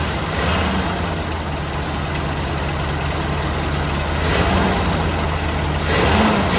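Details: 1984 Jeep Wagoneer after replacing the fuel pump with a new Edelbrock: engine catches and runs steadily with a low, even rumble, picking up slightly near the end; normal running.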